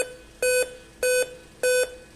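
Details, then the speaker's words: Dell Inspiron 15 on bench supply at power-on: evenly spaced steady mid-pitch beeps about a fifth of a second each, repeating five-beep code pointing to CMOS battery; it showed image after the CMOS battery was removed. "Continua com 5 bips. Então vamos desligar. Vamos retirar a bateria de setup."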